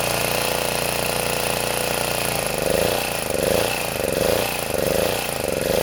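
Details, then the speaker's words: Sportsman 2000 W four-stroke generator sitting on grass, under a 1500 W space heater load before repair: steady drone, then speed swings about once a second; governor hunting, worsened by lean fuel. The governor is thought to be too sensitive and to overreact, bogging the engine. "e problem I think with the governor is that it's too sensitive so I'm going to move the spring to here and hopefully that'll make it CU because what happens is it responds too violently and then it buls the engine down"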